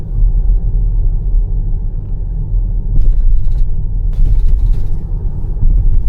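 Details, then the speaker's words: Jeep Grand Cherokee driven over bumpy Beijing roads with an interior rattle for half a year, worse at the right rear wheel: dull low thumps of tire and suspension, then crisp clattering bursts like chopsticks on glass as leftover vibration shakes interior parts; traced to the rear seat. "真正的异响呢是后边这个脆声，噼里啪啦这个声，很明显是先颠簸，然后颠簸的这种余下的能量震动了车内的一些装备造成的声音。"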